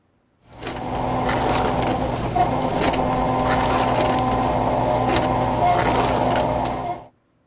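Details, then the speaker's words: Dishwasher circulation (wash) pump during a wash cycle: steady motor hum with rough, gritty grinding, suggesting worn motor bearings; cause suspected, not confirmed. "During a wash cycle, you'll hear the circulation pump. If there's a grinding sound, then the motor bearings are likely worn out."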